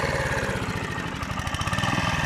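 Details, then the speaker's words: Rebuilt Honda GV150 mower engine (transmission still disassembled) thumps along with a beat swelling and sagging unevenly as the carburetor runs out of fuel, fuel starvation; owner expects it to stall soon. "l'appareil règle car à ce niveau là niveau de la poignée la zone de carburateur s'est vite de son essence"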